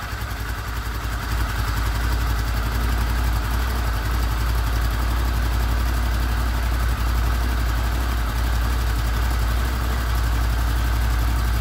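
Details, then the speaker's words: Honda VFR800 VTEC V4 at 58,200 on the clock, first start after cam chain replacement with sprockets reused: steady, even low burble at idle with no ticking or rattle, normal idle. "Так у нас первый запуск после замены ГРМ"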